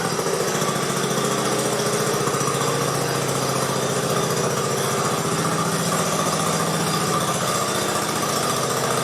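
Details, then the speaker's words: 1969 Sunset Orange Patio tractor after rear end fluid change and brake adjustment: single-cylinder engine steady even putter about four beats a second, no knocks or misses; quieter now than before. "although I think we got it pretty well it's pretty quiet now which is nice you could hear it making some noise before"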